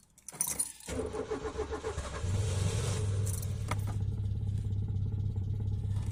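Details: Peugeot 205, cold start at about 2°C: starter churns about three beats a second for over a second before the engine catches and settles into a steady, labouring idle; hard cold start.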